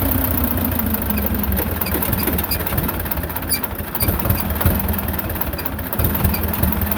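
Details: Belarus 250 tractor, 2-cylinder air-cooled diesel, sat for years, before repair, fuel lines refitted, throttle unchanged; uneven idle swelling and sagging in slow hunt; owner suspects lift pump; fuel starvation surging.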